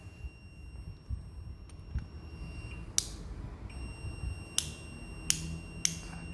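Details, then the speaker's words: Two-door refrigerator defrost timer tested off the fridge with a multimeter while the shaft is turned: a few clicks, then a steady high continuity beep holds. The contacts are closed. "begini nih seputar dulu ya sampai ada angka atau suara Hai nih ada suara ya"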